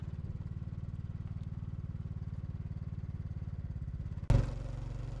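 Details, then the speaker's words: Generator on an off-grid homestead, just repaired, running outdoors with a load plugged in: low steady thumping exhaust beat, brief bump as load comes on, then smooth running; runs well after repair. "And it's running great."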